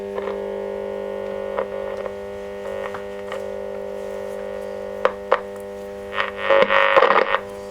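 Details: Constant low mains hum under plucked notes from a refurbished Selmer Little Giant valve amplifier; crackle and hum persist while valves are checked, and noise later disappears after replacing a poor old valve socket.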